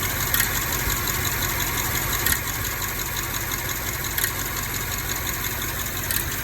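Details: 2010 BMW X6M/X5M V8 at idle: steady idle with a light fast tick on top and a sharp stumble about every two seconds; ticking with a misfire.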